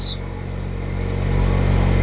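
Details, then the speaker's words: VW Mk1 Rabbit with 1.4T engine swap, Mk4 fuel pump fitted in Rabbit tank to solve fueling issue: after repair, engine starts and runs with a steady even hum, no longer pulsing, loads right up; normal running. "but there we go it doesn't pulse anymore loads right up with uh with"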